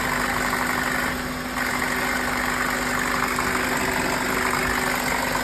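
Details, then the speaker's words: 2005-08 Honda Accord LX idling: steady low hum with faint buzzing when rpm drops below 700-800, as when shifting into reverse or drive; also at idle; cause unknown despite many parts replaced. "When RPM drops below 700 800 is our suspensious noise."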